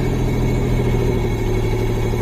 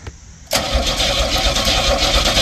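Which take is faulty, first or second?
second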